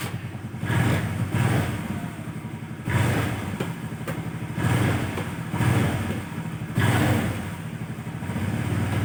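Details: Honda Vario carburettor scooter that died suddenly and would not crank on the starter, weak horn, regulator/rectifier (kiprok) and fuses addressed; engine now fires and runs, throttle blips rising and falling cleanly every second or two, no misses or stalling: normal running.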